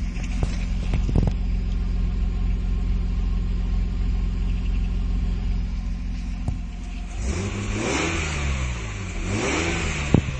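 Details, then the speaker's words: Nissan Skyline with exhaust valve open: a deep, booming note holds, then two quick blips rise and fall smoothly; less boomy with the valve closed, and the valve is meant only for high revs; normal revving exhaust. "We'll close that off. Closed off again. And, it does make a big difference. I'm not gonna. You can hear it's not quite so boomy with it closed."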